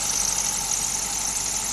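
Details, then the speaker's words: Car engine started on a rainy or cold morning: steady, piercing high squeal at idle from moisture on the drive or A/C belt; spraying WD-40 on the belt silenced it immediately. "Are you guys familiar with this sound? Like once you start the vehicle in the morning like on a rainy day, yeah? So, this sound actually comes from here."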